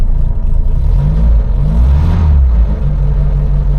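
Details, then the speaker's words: Triumph Herald Estate, starting with choke out: low, heavy idle that wavers and sags, hunting unevenly; rough stumbling idle, owner suspects it is choking on its own fuel from unneeded choke; water pump bearing also suspected dry. "because it's choking on its own fuel Co you can smell it oh dear me yeah I don't think it really needed that choke"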